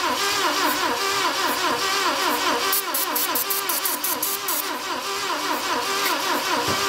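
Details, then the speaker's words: Saab Sonett V4, first start attempt in 20 years, throttle open: steady cranking about two and a half beats a second with a breathy hiss each stroke, air blowing out the top of the carburetor; stuck valve. "okay we got some uh stuff coming out some air coming out the top means you got a stuck you think so"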